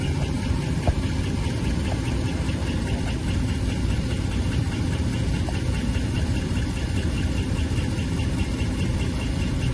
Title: 5.7 HEMI - Ticking sound in the engine part 2